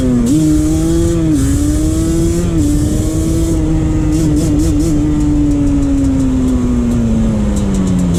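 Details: 2001 Yamaha Banshee 350 ridden after an exhaust leak fix with new clamps, with tors eliminated and a boost bottle fitted: crisp two-stroke buzz rising and falling with throttle, clean and even, no spitting; healthy running.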